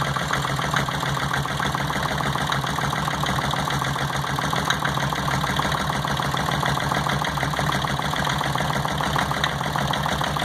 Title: Cylinder no 1 misfire